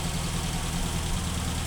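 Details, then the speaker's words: 1985 Ford Fiesta Mk2 with Kent pushrod engine, cold start: low even idle, steady beat, no knocks or misses; normal cold idle. "Doesn't sound too bad at all, and that's a cold start."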